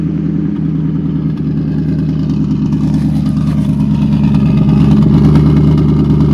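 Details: 1994 Infiniti Q45 with aftermarket rear-mount turbo: strong, even engine note climbing smoothly as revs rise, no knocks or misses; the engine runs strong and sounds healthy.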